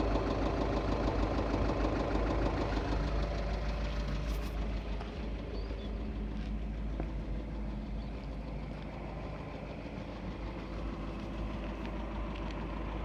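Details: 2.0 TDI common-rail diesel at idle: a regular knock about three times a second rides over the diesel clatter; rod bearing knock.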